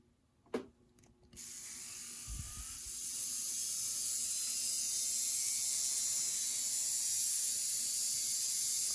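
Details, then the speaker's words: Newly rewound Athearn Jet 400 HO-scale motor on first power-up: rough, thin high-pitched buzz with current draw very high. The armature windings were soldered slightly out of order on the commutator, which turning the magnet confirmed; resoldering is needed. "It's sort of running, but the current draw is real high. I think I may have soldered these just slightly out of order from where they're supposed to be."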